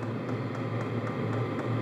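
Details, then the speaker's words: Hcalory portable diesel tent heater in tool-chest case at startup: faint quick clicks about four a second over a steady fan hum; normal fuel dosing pump ticking, quietening once fired up. "that is the fuel pump now once this thing gets the going it'll get quiet"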